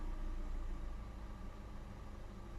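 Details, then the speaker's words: New Lada Vesta SW Cross idling: dull rapid low knocking from the front, present with clutch pedal released and gone when pressed, pointing to the gearbox; idle rises about 200 rpm with clutch pressed. "шум спереди появляется при отпущенной педали сцепления как только педаль сцепления выжимаешь шум проподает"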